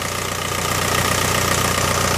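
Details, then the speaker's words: VW Mk4 Golf ALH TDI diesel after repair of P3105 rough idle: anti-shudder valve solenoid wiring short fixed and solenoid relocated to firewall. Steady, even diesel clatter at idle, no misses, surges or knocks; normal idle. "oh look at that baby look at her Island like a dream look at that 100,000 miles"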